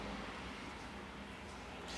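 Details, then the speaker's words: New Shimano DU-EP7000-type mid-drive e-bike motor, warranty replacement, turned by hand and not powered on: almost silent, no grinding, clicking or rumble, normal quiet motor for comparison with a noisy worn one. "it gives you an idea how quiet a new motor is as you can hear that's pretty"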